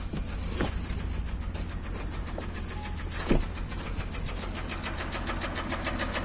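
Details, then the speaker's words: Acura MDX engine running; irregular sharp taps over a low engine note, unsteady spacing; engine knock of undetermined source. "Вот так, собственно, стучит."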